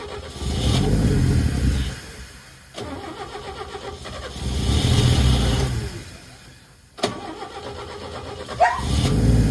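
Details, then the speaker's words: 1962 Chevy Biscayne, original 235 inline-6, with newly welded makeshift temporary exhaust: repeated rev bursts with deep choked rumble that never clears; pipe plugged with peanut shells. Finding: blocked exhaust pipe. "So, let's hear how she sounds. Uh-oh. That ain't good. She's plugged up. This stuff just came out. There's some peanut shells and shit."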